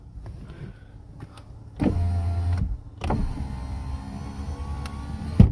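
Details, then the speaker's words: Nissan 370Z after battery replacement, window reset by holding switch up five seconds; two smooth electric motor hums, one short and one several seconds long, each ending in a soft stop, power window working normally again. "push it down and push it up there you go see now it's working and that fixes that"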